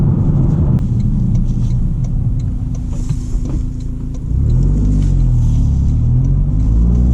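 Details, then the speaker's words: 2023 GR Corolla with FI Exhaust catback, valves open, heavy throttle: heavy exhaust drone and rumble with cabin buzz; glove box and passenger-side interior trim rattling under load. "it's also the glove box here rattles like crazy got to put some padding over there there we go disconnected all right valves open you can you can hear all that rattling that's pretty bad"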